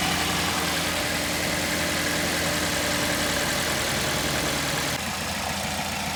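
Smooth, steady idle with an even beat and no ticking or knocking coming through; the valve train sounds correctly set.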